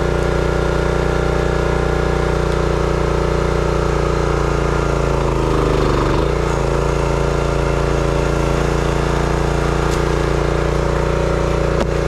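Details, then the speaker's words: Brute 30-ton log splitter, Briggs & Stratton engine (9.5 ft-lb gross torque, roughly 5-6 hp), after no-start repair: steady even beat, sags briefly under splitting load then recovers cleanly; sounds healthy. "Well, it seemed to run good."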